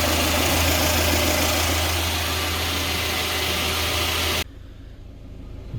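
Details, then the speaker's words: 2020 GAZelle Business, UMZ-4216 EvoTech 2.7, 823 km, warm at about 90–95 °C after replacing one hydraulic lifter that knocked when hot: even, steady, quieter idle with no ticking or knocking from the top end; problem solved. "у нас прогрелся температура примерно 90 95 вот уже более менее то есть тише работает уже никакого стука"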